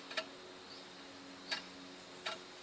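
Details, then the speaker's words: Land Rover Freelander 2 2.0 removed differential, pinion turned by hand: binds, then snaps free with three sharp irregular clicks, not smooth; mechanic suspects excess load on mounting caused seizing, unconfirmed. "está bem difícil de movimentar dá pra perceber o barulho eo movimento de opinião ele não é suave"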